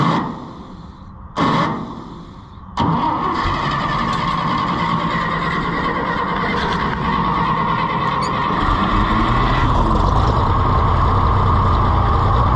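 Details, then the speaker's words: Farmall IH 560 tractor after owner altered timing: cranks, catches, then low lumpy uneven idle as if a cylinder is missing; later found out of time with spark plug wires in wrong places. "It just seems like it's got a miss, and I don't know."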